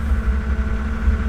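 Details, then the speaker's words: Toyota Celica Supra after head gasket, new valves, belts, seals, water pump and alternator, misfire fixed: low, steady, smooth idle with no ticking or knocking; idles high when cold, dropping to about 800 rpm warm; runs well. "it idles pretty high when you start it it comes down to like 800 after it gets warm but this thing this thing runs really really well it drives great"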